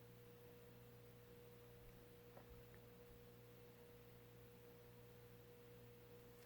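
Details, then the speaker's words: Mid-1980s Sears Turn of the Century 5-blade variable-speed ceiling fan (Lasko, Sanyo motor, model 435.115500) on low speed forward: pretty quiet with a slight motor hum and faint higher tone, no rubbing or ticking, still moving air; normal. "it is pretty quiet still a little bit of home but yeah I'm still feeling some air from it actually"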